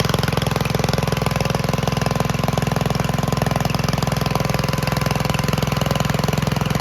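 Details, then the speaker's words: 1951 Gravely Model L single-cylinder garden tractor, running after a backup magneto cured its weak spark, gives a steady, even thump at a quick regular rate with no misses or knocks; it needs only minor adjustment. "well it looks like it was the Magneto after all once we got that addressed one tractor fired right up and it's running pretty well"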